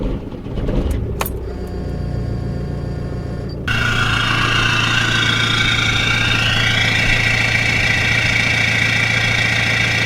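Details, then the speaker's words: Seat Leon FR, first start after engine swap with new clutch, flywheel, cambelt and different turbo: cranks and catches, steady even idle with firm low hum, no knocks or misses. "now boys I'm not being funny but that sounds so good new engine new engine"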